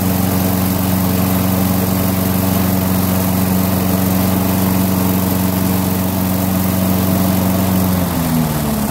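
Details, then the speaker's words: Briggs & Stratton 6.75 engine on a Craftsman chipper shredder vac, after cleaning the fixed-jet carburetor, running on an auxiliary fuel tank, started with a drill, throttle raised: steady single-cylinder drone, clean speed change, no surging; normal. "What I'm going to do is just manually start it with a drill and make sure it runs. Choke it, raise the RPM, open the throttle up a little bit."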